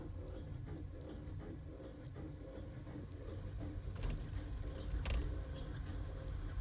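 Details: 2012 Toyota Aqua coasting off throttle around 10–45 km/h, slightly downhill: low rumbling with uneven light squeaky ticks, stopping when accelerating at low speed but later present under acceleration; cause unknown.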